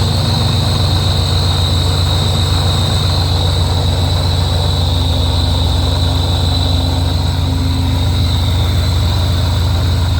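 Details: Rotrex supercharger at idle: steady, high whine holding a constant pitch over a low, even idle rumble; owner unsure whether the noise is normal or a fault.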